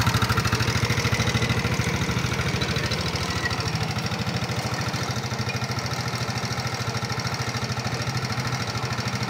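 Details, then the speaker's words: Nmax (2019) scooter, still rough after piston and block replacement. Fast, regular ticking over a steady idle; checked before teardown, mechanic suspects the connecting rod, not confirmed. "inilah sedikit penganalisaan sebelum mekanik bengkel lakukan pembongkaran untuk motor nmax yang suara kasar berlebihan"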